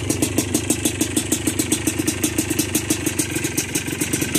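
Crisp, even two-stroke popping at roughly seven beats a second, steady and clean, with no rattle or misfire: a healthy idle.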